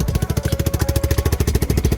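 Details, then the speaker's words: Lifan KP Mini 150 swapped to a ZS175FMN 300cc 4-valve engine, idling after a cold start with choke and raised idle. Loud, sharp chuffing on every firing pulse: exhaust leaking at the head because it's still on the KP150 exhaust. "as you can hear it's chooching directly from the head because um yeah this is KP 150 exhaust"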